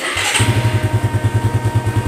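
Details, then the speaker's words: Suzuki Satria FU 150 that was hard to start after sitting, with its weak battery now charged: starter whirs briefly, engine catches at once and settles into a steady, even idle; healthy first-press start. "Satu kali hidup guys ya, mudah sekali ya. Oke, dicoba lagi. Starter. Oke, mantap."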